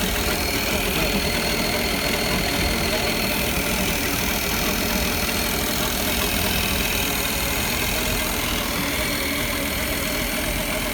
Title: Mercruiser 350 clicking noise low WOT